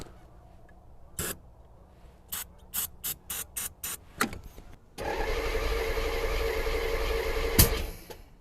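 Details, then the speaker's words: 1984 C4 Corvette, first start attempt after a water pump job: a few clicks, then the starter spins it steadily for about three seconds without firing; crank no start, ignition and fuel seem present, owner suspects distributor timing. "well gave her the beans and the beans did not give back so is it my distributor just getting too dark top dead centers there and then I want to time it sounds like we have ignition sounds like we have fuel so it's just got to be timing"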